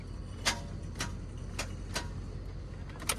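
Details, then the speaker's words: OBS truck that won't crank, battery and connections good: sharp single clicks about twice a second with no cranking; starter suspected, possibly a stuck Bendix. "bro I just can't catch a break with this thing mocha's with me she's all sad because she can't go home but this thing it's just clicking"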